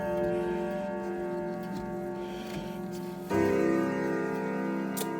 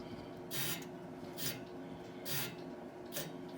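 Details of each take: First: Howard Miller grandfather clock before servicing (escapement gear damaged, running fast): clear bell notes in the Westminster sequence over a steady tick, single-chime/silent/chime selector on Westminster; chime train working normally. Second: Howard Miller grandfather clock before servicing, with a damaged escapement gear and running fast: dry rasping scrape in short bursts, about once a second, as the hand is pushed round, suggesting rubbing in the hand train.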